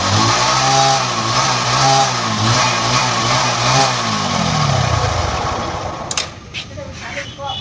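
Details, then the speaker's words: Bajaj Discover 100cc after half a litre of Harpic plus 400 ml petrol was poured into the engine: harsh, loud revving with rough metallic clatter, then the engine dies abruptly; piston seized and bearings damaged. "खाली शैम्पूल के लिए हमें आके इस bike को आके Harpic डाले और इंजन आके पूरा साउंड आके चालू हो गया, बहुत ज़्यादा साउंड आ गया इंजन में आके।"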